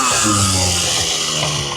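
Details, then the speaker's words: Two-stroke scooter with dirt in the carb: raspy high buzz stays up and eases down slowly instead of dropping; revs hanging, needs tuning; cause suspected, not confirmed. "And now the revs are hanging. Yeah, she wants tuning."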